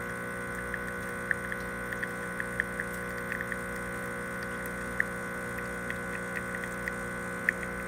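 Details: Expobar espresso machine after repairing an internal water leak, pressure test while brewing: steady pump drone with a faint high whine and light irregular ticking, no hissing or spitting; brewing sounds normal and leak-free.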